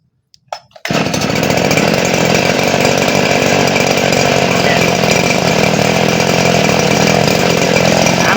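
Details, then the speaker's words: Small Robin engine-driven centrifugal water pump, probably for one-inch hose, used Japanese unit, fixed missing seal and added foot valve, primed with water: fires, steady buzzy high-speed drone, no misses or knocks; pumping water properly under load. "มาแล้วครับเร่งลองเร่งดูโอเคเรียบร้อยดูดแป๊บเดียวหมดแล้วเนี่ยน้ำเต็มถังใหญ่ๆนะครับมันดูดแบบแป๊บเดียวเกลี้ยงแล้วก็เราจะให้มันดูดเยอะดูดน้อยก็แล้วแต่เราจะเร่งคันเร่งเลยนะครับ"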